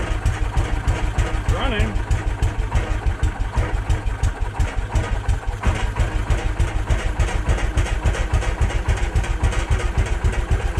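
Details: Case 444 single cylinder, fed from a temporary jerry can because it leaks fuel badly: steady, quick, even thumping with no stumbling; running cleanly.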